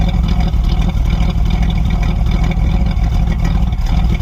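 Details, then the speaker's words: 305 small-block Chevy Gen 1 after a cruising drive, with hard start and stalling: loose lumpy V8 idle with irregular exhaust skips about twice a second; misfire. "If you guys can hear that, but it's skipping. Misfire."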